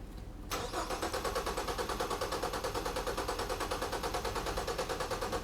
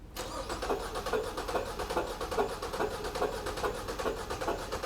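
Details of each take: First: Four-cylinder engine cranked with fuel pump relay pulled during relative compression test, amp probe on negative battery cable: even, steady cranking around three beats a second with no skipped beats; four equal compression events, balanced compression. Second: Four-cylinder engine, firing order 1-3-4-2, cranked with one spark plug removed during relative compression test: lopsided cranking about two beats a second, one stroke per cycle lighter; that cylinder has no compression.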